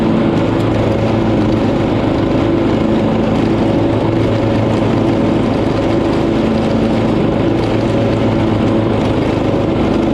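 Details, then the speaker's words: Poulan PXT12538 lawn tractor started after heavy rain, with the fuel shutoff reopened, gas added and oil checked, gives a steady, even drone with a constant firing beat and no knocks, misses or surging; nothing was wrong with it. "so as you saw nice couple came by there was nothing wrong with the tractor for once"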